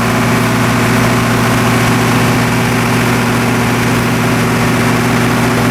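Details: MEP-004A 15 kW three-phase four-cylinder military surplus diesel generator with acoustic enclosure, first start after sitting for years, after repairs: steady, even diesel clatter with a firm low thrum and no misses or knocks, running healthy.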